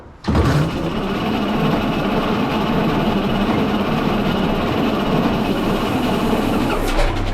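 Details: 1912 Seagrave fire engine's Wisconsin T-head engine, first run in unknown years, after a failed condenser was replaced; run only briefly with no coolant and about 7 gallons of oil: catches right away and settles into a steady, even chugging run without misfires.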